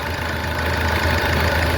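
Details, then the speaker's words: 2009 Ford Ranger 3.0 diesel misfiring and shaking at idle; with the intake air temperature sensor connector unplugged the idle becomes a fairly steady, even low rumble and the misfire stops, pointing to the faulty sensor. "ele para de para o falhamento, certo? Ele para o falhamento."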